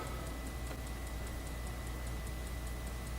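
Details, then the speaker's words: Roland S-330 sampler from a store shut 12 years, booting from a newly written 3.5-inch floppy operating disk: regular light ticks about five a second over a faint steady whine as the head steps; drive reading normally. "sounds like the disc is working uh yeah yeah loading yes loading"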